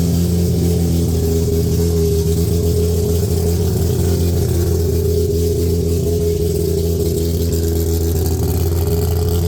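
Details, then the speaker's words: 1993 Mazda RX7 with freshly built and ported 13B rotary, first runs after sitting 10 years, no downpipe yet: deep, lumpy, steady burble at fast idle without missing or dying; sounds wild and healthy. "I'm dude it sounds wild"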